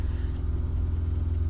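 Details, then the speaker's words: 2016 Hyundai Veloster DCT turbo GDI, 82,386 miles, warm idle after CRC intake valve cleaner treatment: steady, smooth, even idle with no misses or knocks, coolant correct, no smoke, running as well or better; normal. "It sounds fairly normal. Coolant's where it's supposed to be."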